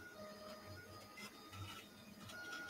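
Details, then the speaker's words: Newly assembled Flsun QQ-S delta 3D printer during first auto-leveling: a steady mid-pitched hum and ringing that rises and falls with the moves, from resonating delta arms, not too bad; lube may be needed. "sometimes the arms resonate they're not too bad"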